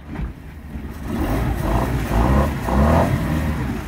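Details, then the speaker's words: MerCruiser 3.0 marine engine after carburetor rebuild (previously ran erratically and died), shifting neutral and reverse: picks up cleanly on short throttle blips and settles without stumbling or dying; normal throttle response. "he's feathering the gas like you're coming into dock you know it's an emergency you got to have reverse can't have your engine dying"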